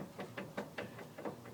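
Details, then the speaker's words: 1983 SpeeCo three-wheeler with Briggs & Stratton 8 hp engine, engine off, clutch/jackshaft area: loose uneven clunks about four or five a second from worn jackshaft bushings; a mounting bolt also feels loose; needs new bushings or jackshaft assembly. "You can hear it. So it needs bushings in there. I'll probably actually end up cutting off these plates here, welding entire new jack shaft assembly."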